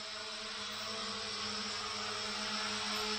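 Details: Hubsan H502E GPS quadcopter from 2017, rebuilt with new motors after a burnt-out motor, hovering indoors in a garage and twitching from poor GPS lock; steady, even high whir with no grinding or rattle; new motors' ball bearings sound smooth.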